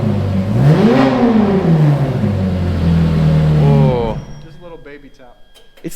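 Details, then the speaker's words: Ferrari 430 Scuderia, after Capristo headers installed (blankets still smoking slightly): crisp light blip rises, steadies, drops cleanly to quiet idle; smooth V8, very refined sound, normal revving. "uh wow that sounds really it's like it's got a very nice refined sound to it sounds really good"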